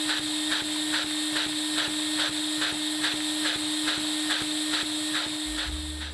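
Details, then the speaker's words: LEGO vacuum engine fitted with a LEGO needle roller bearing: quick even puffs about 140 a minute over a steady hum; runs worse than the standard bearing, excess play in the needle bearing suspected. "This one was definitely surprising. I figured it would run better than the normal one, but that's apparently not the case."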